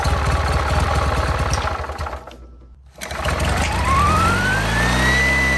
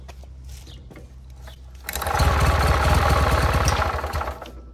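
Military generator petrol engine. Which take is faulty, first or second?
second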